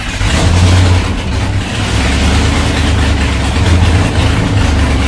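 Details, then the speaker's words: First start after installing MAC long tube headers, engine reassembled after lifting, old mufflers still on: loud, rough, uneven rumble as it starts and revs; owner suspects headers leaking at the head, possibly under-tightened bolts, not confirmed. "well that sucked apparently they're leaking right off the head i think unless that's the way they're supposed to sound when you first fire them up"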